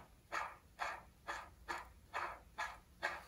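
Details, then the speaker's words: 1966 Mercury 9.8 hp outboard gearbox, water in the oil, stuck in forward gear, turned by hand: rough gritty rasps about twice a second; rough gearbox bearing. "are noisy bearing that I'm hearing now I gotta figure out how I'm gonna pull that out"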